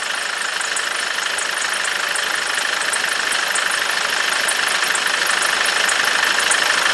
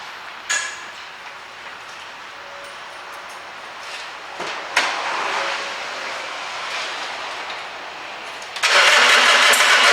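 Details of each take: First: 2006 Nissan Navara diesel after tank work and bleeding fuel lines post no-start breakdown: even diesel clatter at idle, steady ticking about three per second, no misses, some blue smoke; injectors seem fine, running normally. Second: 2006 Nissan Navara diesel that spluttered, went bang and stopped. A dry, labouring crank barely catches, then runs flat and won't rev even at full throttle. Water in the diesel is suspected, getting in over time; injectors were blamed elsewhere but are doubted.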